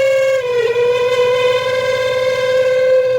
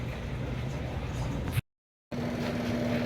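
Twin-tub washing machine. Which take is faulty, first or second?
first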